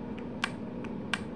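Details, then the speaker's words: Chevy Cruze transmission shift solenoid, removed for a P0700 code and bench-tested on a 12 V battery. Two crisp clicks each time power is applied, the normal sound of a working solenoid. "can you hear it clicking okay that's what it's supposed to sound like when it's working"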